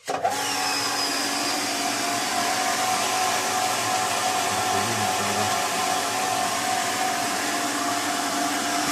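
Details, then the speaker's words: Pedrollo JSWm 15MX pump station runs but won't build pressure and won't switch off: steady motor whir with a thin airy rush and no pitch change while the gauge needle stays put. "Пытается накачать, но... Стрелка манометра стоит на месте."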